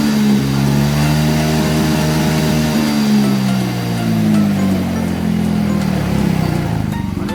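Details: Yamaha Mio Soul GT scooter with overcharging (15V) and error code 46, tested on a spare regulator rectifier after the fault code cleared: engine spins up and holds an even, steady hum with no misses, surging or stumbles. Revs smoothly.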